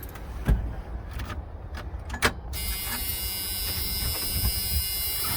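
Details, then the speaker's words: 1985 GMC C2500 with 350 SBC from 1992 half-ton and electric fuel pump, no return line yet; clunks then loud steady buzzing hammering drone. Owner hopes adding original return line relieves pump pressure. Electric fuel pump noise. "i turn on the electric fuel pump you can hear it hammering there so what i'm hoping is is that by uh putting in the original return line it's going to take some of the pressure off that pump"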